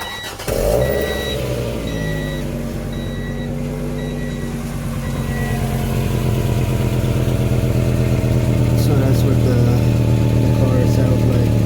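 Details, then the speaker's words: 1994 Acura Vigor GS idling before exhaust pipe replacement; starts and settles into a loud, raspy idle with rough low puffing beat; exhaust leak from a hole in the pipe. "so yeah uh hopefully you guys did notice that but there's a um there's a hole somewhere in the pipe in there so that's what the car sounds like before i change it"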